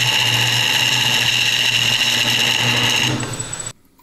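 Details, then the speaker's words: Woodturning an epoxy and banksia pod blank on a lathe with the tool bevel rubbing: even, steady cutting hiss with a constant tone and no chatter, unlike the vibrating, skipping cut before. "so now I'm going to do it where the bevel is rubbing and you're going to see a noticeable [Music] difference"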